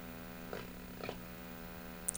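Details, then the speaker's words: 23-inch Motorola black-and-white CRT TV, string-series chassis; the CRT filament draws excess current and runs on only 2.2 volts, giving a barely visible raster. A steady low buzz under faint clicks is the vertical deflection running normally. "There is no raster. You can hear the vertical."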